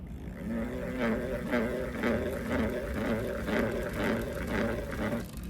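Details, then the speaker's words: Pottery trimming demo: tool deliberately held far from its head so it vibrates and jumps, giving a buzzing, rattling scrape pulsing about twice a second over steady wheel hum, leaving chatter marks. "right? So that chatter mark is it look different."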